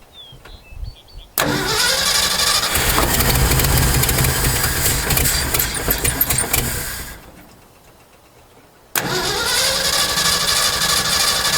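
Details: 1968 Ford F250 camper special, not run in years, after a carburetor rebuild: cranks and catches, runs rough for a few seconds, then dies; restarted, it fires again but won't settle into an idle.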